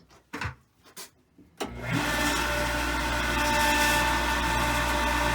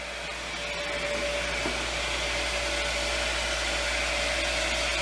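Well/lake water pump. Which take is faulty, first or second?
first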